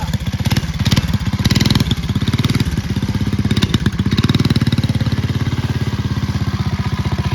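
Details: Early-1970s Pacesetter Trailbuck mini bike riding after the new torque converter was reconfigured for jack-shaft use; small single-cylinder engine pulls cleanly with a steady, even beat, drive engaging smoothly with no slipping or rattling. Normal running.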